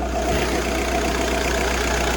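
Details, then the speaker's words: VW Bora estate TDI 130 diesel with original clutch, uses no water or oil: starts first turn, even steady idle with a smooth low rumble and no knocks, rattles or clutch noise; engine healthy. "On roule super bien. Pas de bruit bizarre. Pas de bruit d'embrayage non plus."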